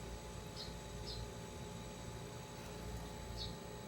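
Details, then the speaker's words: Panasonic NR-A749D refrigerator (not cooling, knocking sound), compressor measured at about 2.9 A against a rated 6.7 A: a steady, low, even hum with no knocking. The compressor is running normally; the starting relay and overload protector were later found broken. "okay guys we'll piss now the compressor impairs the rated current and personnel 6.70 amperes so this unit so the compressor is working and vibrating 2.9 now guys"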